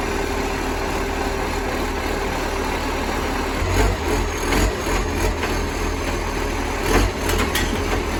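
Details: Moreland garbage truck #FN11487, a spare 22m flat-faced Acco-cab diesel with a massive exhaust leak, recorded from the exhaust side at idle: coarse, raspy roar swelling on each throttle blip, louder than it should be.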